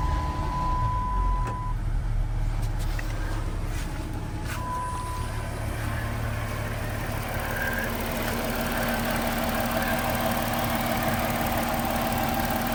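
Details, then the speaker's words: Dodge Charger V6 with 255,000 miles settling into a steady, even idle with no knocks, ticks or misses; runs smooth; normal idle. "Sounds good. >> Sounds good. It runs smooth. >> Runs really smooth."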